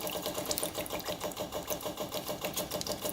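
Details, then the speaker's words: Custom pulling tractor with a swapped 500cc Honda motorcycle engine, long unused, fuel line disconnected, engine off: quick steady ticking of about three per second; electric fuel pump working, fuel coming out rusty with water. "let's turn this bad boy on let's see if it starts up oh yeah it's pumping"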